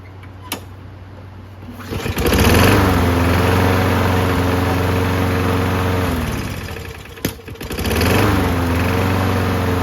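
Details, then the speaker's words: Free Toro Recycler walk-behind mower, single-cylinder, after repair: fires off the pull and holds a steady, even buzz, no hunting or missing; healthy running. "Man, this engine sounds good, doesn't it?"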